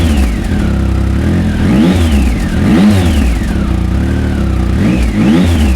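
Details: Triumph Speed Triple 1050 S with SP Engineering exhausts, baffles in, about 3,000 rpm revved to about 6,000: smooth, even blips climbing and falling, clean throttle response, deep exhaust note with more grunt than stock; normal revving.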